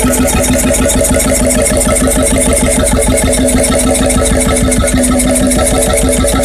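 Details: Freris-built Syros 1950-55 two-stroke 12 hp single-cylinder diesel, wick-started, restored 2014 after about 40 years idle: even thumping about three beats a second, steady speed, no misfires or knocking; healthy.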